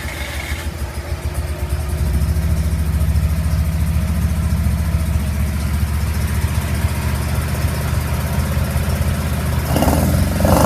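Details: 1981 Mazda RX7 FB with stock 12A rotary, extractors and Weber carburettor, cranked up and running: steady low drone building as the throttle opens, holding even with a smooth climb near the end; normal healthy rotary.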